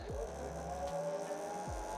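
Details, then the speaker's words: SUR-RON Light Bee electric motor whines up under throttle with normal light chain rattle, then cuts out when the front brake is applied after enabling brake sensors (9 short, 1 long lever code), and spins up again. "die hört wieder das Rasseln in der Kette ich betätige Bremse die Vorderbremse und der Motor geht aus"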